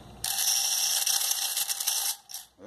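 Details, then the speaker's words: Washing machine draining: fast, harsh metallic clattering over the drain pump hum, from an underwire bra wire drawn into the drain pump impeller; removing the object cures the noise. "Mas qualquer fator de barulho na drenagem é coisa de eletrobomba certo e você Algum objeto tirou o objeto e responde de volta certo"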